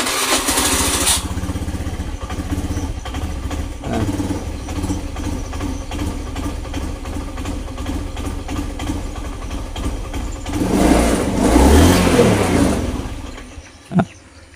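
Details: Old Honda Beat FI scooter: hard to start, runs with an uneven stumbling beat, bogs when throttled, then dies. No MIL code is stored; fuel pump pressure is checked next.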